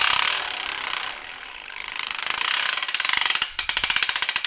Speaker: You're starting to hear that ratchet noise. That means that the Trifecta, or the zip torque nut, is tightening itself up.